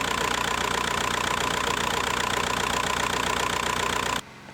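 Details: VW Bora 1.9 PD diesel at idle, first start after timing kit replacement: engine runs well but a busy, uneven rattle, pulsing beat and vibration; owner suspects the clutch dual-mass flywheel damper, not replaced with last year's clutch.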